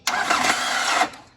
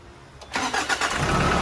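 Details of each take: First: Diesel Nissan Frontier starter motor slipping when cranked: one-second high, raspy whir with no engine turnover; unsure whether the bendix (drive pinion) or the planetary gear is at fault, starter to be removed. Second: Nissan Frontier diesel after fitting a new starter motor (old one slipped, Bendix or planetary gear suspected): quick clean crank, engine catches at once and settles into steady idle; problem solved.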